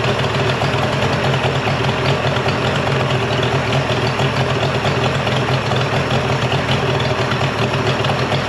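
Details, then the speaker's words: Mercury 50hp three-cylinder two-stroke outboard after full service, new switch box (old failed DVA test at about 230V) and clogged telltale hose cleared: even steady idle burble, no misses or stumbles, runs great. "So the motor runs great. I'm sure you guys can tell I did clean it up already."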